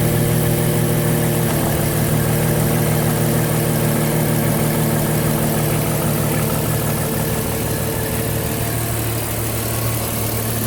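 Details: Cayenne engine at idle: steady low hum with a faint, loosely regular beat about three times a second; abnormal engine noise of unclear cause.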